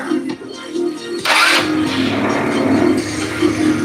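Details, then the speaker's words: 2008 Lance Milan scooter after ignition coil replacement (previously lost spark after 30 minutes running); brief starter whir, catches straight away and settles to a steady even idle; normal start and idle. "Nice. No issues. Wow. Okay. No issues."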